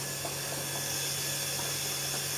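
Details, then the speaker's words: New 2021 Stuart Turner Monsoon 2.0 bar universal single-head shower pump, after sealing factory leaks, final test with hot water running: steady low hum with even water hiss, no knocks, rattles or surging; running smoothly. "Actual running of the pump. It's the cold water. Listen for the hot water. The hot water is running."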